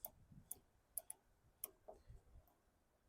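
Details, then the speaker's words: 2008 Toro Recycler 20065 front-wheel-drive mower during wheel bearing replacement: light, irregular ticks about every half second as the wheel rolls back; normal drive ratchet clicking that catches when the transmission is engaged. "but then when the transmission's engaged, it catches. You can hear it clicking."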